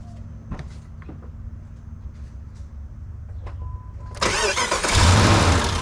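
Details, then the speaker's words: Crank and start of a 4.7L V8 WJ Jeep Grand Cherokee (1999-2004) after replacing the starter, which had failed with a single click; battery possibly weak. A few quiet clicks, a short strong crank, then an immediate start into steady idle: normal. "She running. So there you have it. You can replace your starter on your 4.7 liter V8 equipped WJ Jeep Grand Cherokee."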